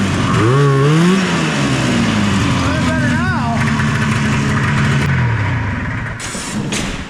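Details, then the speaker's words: Arctic Cat snowmobile two-stroke after carburetor teardown with float set lower for more fuel: revs up and settles into a steady, even buzz with crisp throttle response; runs sassy now. "All right, well, there you go. She runs sassy now."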